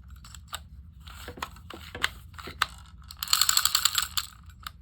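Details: South Bend Oren-O-Matic No. 1140 Model D automatic fly reel after cleaning, lubrication and fixing a loose screw that caused binding: crisp, even ratchet clicking as the spring winds and releases, no grinding or sticking; working normally.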